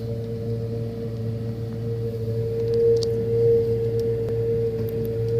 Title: Loud noise from freezer